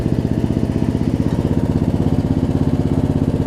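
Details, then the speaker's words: Murray riding mower, almost 20 years old, after new gas tank install, idling down: steady, even low-speed putter about four beats a second, no skips even at low RPM; normal idle, muffler tends to backfire at shutoff. "It's not because the engine's running poorly. I mean, you can hear the engine's not even skipping a beat, even at low RPM."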